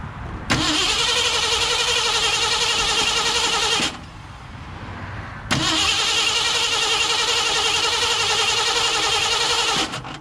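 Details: 1968 Ford F100 with ignition problem: two long bursts of steady, quick, even starter cranking; engine never catches; crank, no start, ignition fault suspected, not confirmed.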